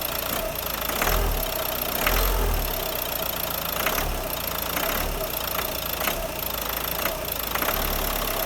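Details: Renault Scenic 3 2013 1.5 dCi 110 diesel with a suspected injection problem: a loose clack roughly once a second rides over the engine note on acceleration; clacking of unknown cause.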